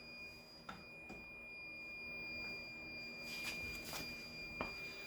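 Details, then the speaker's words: Toyota MR2 AW11 fitted with a replacement buzzer, more modern like a Yaris's, in place of the original that sounded about to die: clean continuous high-pitched tone with light clicks; key reminder buzzer working normally, stops when the door closes. "so it is annoying but it serves a purpose don't leave your keys in your car"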